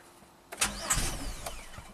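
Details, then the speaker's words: 2007 Chevy Equinox AWD, 35k miles, auction car, after clearing codes and fitting a spare 15 A fuse: a brief crank that never catches, with no fuel pump hum. Code P0230 fuel pump relay control circuit and apparently no fuel pressure. "okay now we have a p0230 fuel pump relay control circuit so that's it doesn't have any fuel pressure by the sounds of it"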